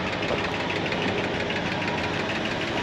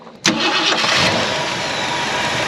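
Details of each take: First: 1968 Ford Galaxie XL V8, parked since 1986 and just revived, with its 2-barrel carb: quick, light, uneven ticking over the idle. It was first thought to be noisy lifters but was traced to worn rocker arms. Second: 1968 Ford Galaxie XL, parked 38 years, after fixing cast rocker arms by shimming with a washer. It catches and settles into a smooth, steady idle, with the valvetrain tick gone and much quieter.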